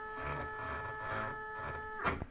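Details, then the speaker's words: DIY Faraday coil winder, geared stepper spindle jogged from machine buttons under GRBL v1.1; steady thin whine at a few fixed pitches, stepper and gearing run noisily, no clear fault. "so if we come over here you can kind of see that that this button pulls it that way this one you know pushes it away this one turns my you can kind of hear how noisy that is"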